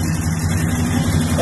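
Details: 1973 car with 350 V8 after spring fix, on 26-inch wheels: deep even idle rumble with steady beat, no stumble or sputter; engine runs clean.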